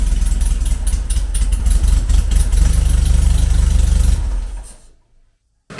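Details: Classic VW Beetle air-cooled flat-four with EFI conversion, after revising the tune and before warm-up: ticks over fairly steadily with a slight lope, exhaust fan audible in the background, then shuts off. Idle improved but not perfect.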